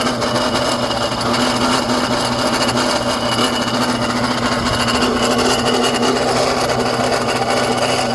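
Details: BMW N54 engine at idle: steady rasping grind, even and continuous with no rhythm, from the accessory drive; owner suspects the A/C, source unconfirmed.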